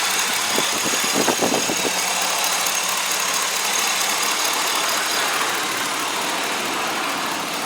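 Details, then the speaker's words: 2003 Chevy Tahoe LT 5.3-liter Vortec V8 at idle, hood open: smooth, even idle with steady hiss, no lifter, valvetrain or knocking noise; runs like a low-mileage engine; normal idle. "as you can hear it is quiet as can be there are no uh lifter noises there's no valve train noise there's no high rev knocks i'm telling you this thing really really truly does run fantastic"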